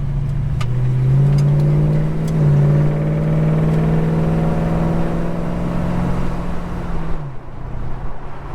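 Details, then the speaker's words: Holden HK after long repair saga, heard from the rear while driving: meaty engine note rising smoothly and evenly through revs, no stumbles or misses; normal engine under acceleration. "I don't know if you can hear that out the back, but that sounds fucking awesome. It really does."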